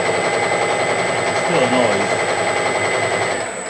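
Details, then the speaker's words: Harrison M300 lathe gearbox at 800 rpm after new bushings fitted: steady rattle about four beats a second persists but is hugely reduced; owner suspects the other shaft's bearings also need replacing. "The noise is still there, but wow, it's gone down hugely. I suspect that the other shaft probably needs the bearings doing on it as well."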